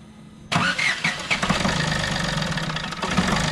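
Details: Diesel car test-started after a remedy for fuel-additive-related injector noise and running problems: quick crank, instant catch, then steady clattery idle with no stumbles; normal diesel start.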